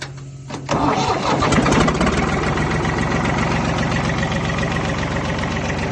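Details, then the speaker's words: Belarus 525 4x4 tractor diesel, not run in years, on temporary fuel supply, bled injectors, fresh battery and jump pack: cranks briefly, catches cleanly and settles into a steady, even clatter with no misses. "sometimes these old diesel surprised you how good they all run"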